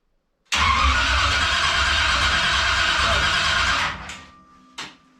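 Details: Freshly reassembled engine just installed in the car, first start attempt after cranking to build oil pressure, clutch not yet hooked up: starter spins engine steadily about three seconds with no firing, then stops; cranks, no start.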